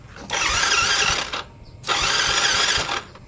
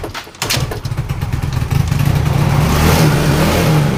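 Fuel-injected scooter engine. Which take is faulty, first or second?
first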